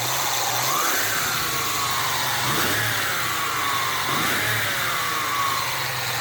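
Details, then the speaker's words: 1996 Ford Mustang, intermittent battery light, not charging: engine running with a little throttle, thin whistle rising and falling with revs over engine noise; suspected failing alternator bearing rather than the pulley. "It sounded like the bearing on that alternator is going. Now she had complained about a whistling or a grinding or something, and we kept thinking it might be this pulley here, but I think it's inside that alternator."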